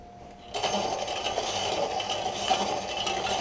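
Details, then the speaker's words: DIY electric bike with motor running and rear wheel oscillating up and down from its mounting: motor spins up into a rough, uneven scraping rasp with light rattles; chain rubbing against the tensioner spring. "it's making um pretty nice scraping noise there that's the chain hitting the spring"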